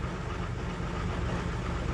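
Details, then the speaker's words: 1978 International Scout II, Nissan SD33 3.3 L turbo diesel, just started after manual glow plug preheat, still cold-blooded: steady, even low idle rumble, no misses or stumbling; normal idle after cold start. "So now that it's pretty much glowing bright red, we start it up. It is a little cold-blooded still,"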